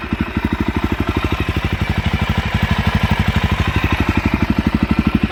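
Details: Suzuki DRZ400SM single-cylinder supermoto with newly installed Yoshimura RS2 full exhaust, not yet broken in: crisp, even thumping idle about fifteen firm pulses a second, steady and strong; runs smoothly and healthy through the loud exhaust.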